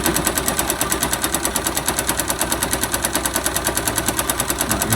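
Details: 2005 Yamaha YBR 125 found with oil below the dipstick mark, refilled, smoking and lacking power, engine slightly warm and lubricating: sharp fast metallic knock about ten per second at idle. Mechanic thinks it ran without oil, so the connecting rod knocks.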